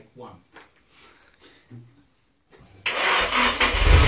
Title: 200sx first start after rebuild.